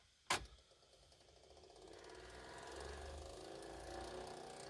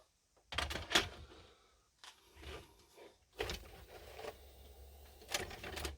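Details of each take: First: 1983 Ferguson 3V32 (JVC HR7655) VHS deck after long storage, on fast-forward search: a click, then a faint rising whir with a scraping hiss as the worn idler tyre slips against the take-up spool. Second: 1983 Ferguson 3V32 (JVC HR7655) VHS deck after new loading belts and reset springs: the motor whirs and the mechanism clunks through its steps evenly with no stall midway. Normal cassette loading.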